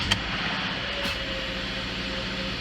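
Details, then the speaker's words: 2014 Subaru Forester 2.5L boxer, about 68,000 miles, previously rough idling at stops: just after a spark plug change it starts nicer and settles into a steady, even idle with no stumbles; the new plugs seem to have fixed the rough idle. "Starts up a lot nicer than it did before. Can already tell that it's not not doing a rough idle or anything right now. So, I think uh we fixed the issue."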